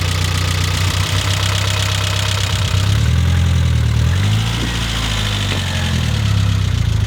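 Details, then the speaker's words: Mitsubishi Eclipse GS-T 4G63 turbo four after head gasket replacement (blown from overheating) and vacuum leak fixed by reconnecting brake booster: deep, fairly steady idle drone with slight rev wobble, ticking reduced to faint; normal idle. "Replaced the head gasket without screwing up on an engine I've never worked on. That's awesome. It also sounds like the ticking's better."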